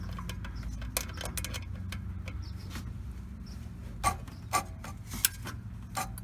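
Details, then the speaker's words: 1980 Chevrolet C-10, 4.1L 205 cid inline-six at idle after replacing the water pump and fan clutch: sharp, irregular scrapes and ticks from the engine front, like a pulley rubbing; owner suspects a bolt behind the water pump pulley. Unconfirmed. "You hear it grinding. I think it's that right there. So what I need to do is take it all the way apart, see what's going on."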